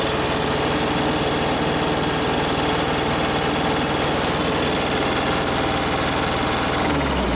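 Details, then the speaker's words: Case 430 skid steer with 4.5 FPT diesel that fell on its side: revved-out engine with an uneven, missing beat and a sharp rhythmic knock heard only at full revs, not at half throttle; misfire and knock at high rpm, cause unclear. "It's definitely missing. Definitely missing, and it's only got that knock when you're revved out."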